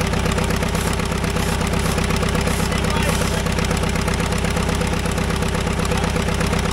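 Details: Caterpillar dozer diesel, parked since 1992, after a stubborn start: slow even chuffing about 160 beats a minute, steady, no misses or knocks; normal healthy idle, runs pretty good now.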